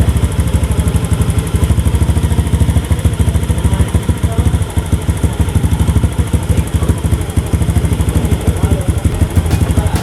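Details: Honda Beat FI scooter with hesitation and heavy pull, after TP sensor and ISC adjustment: engine picks up cleanly around 1500 rpm with a steady, even beat and no stumble; throttle now responsive, fault fixed.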